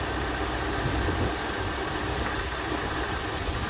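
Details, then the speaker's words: 2001 Lexus LS430 3UZ V8 at idle: smooth, steady low rumble with no stumbles or ticking, about 20 inHg (-70 kPa) vacuum. Normal healthy idle. "so it's a 2001 it's got the 3 Z and it runs nicely"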